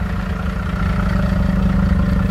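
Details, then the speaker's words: FCC Starter LE diesel bus with engine idling: Webasto diesel-fired heater running, heard as an even, deep dull drone over the idle with no knocks or surging; normal operation. "On entend un bruit un peu sourd. Hein. Et ça, c'est le Webasto. Il y a le bruit du moteur, c'est sûr. mais on entend un bruit assez grave."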